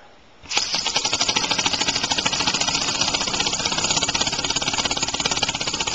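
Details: Homemade compressed-air engine on its first start (1-inch stroke, steel cylinder, aluminum piston and rod, brass flywheel, valve shaft/crankshaft): catches and settles into a rapid, lumpy chuff with uneven beats; early valve timing and an unbalanced flywheel make it run rough.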